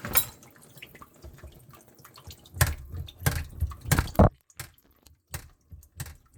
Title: GE Dishwasher GDP665SYNFS Knocking Noise